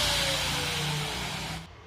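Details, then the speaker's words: AG4 angle grinder with a previously replaced head bearing (6201/62001), run as a check before the head is removed. The motor spins up to a smooth, steady high whir with no grinding, rattle or shake, so the bearing is judged good. "Machine okay கிளியராதான் இருக்கு"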